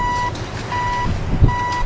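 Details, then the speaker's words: Wheel loader with PreView radar installed, display powered from backup alarm circuit: clear mid-pitched beeps roughly one every three-quarters second over heavy diesel rumble; reversing alarm working properly. "You can hear the backup alarm going. That's where we're picking up our power."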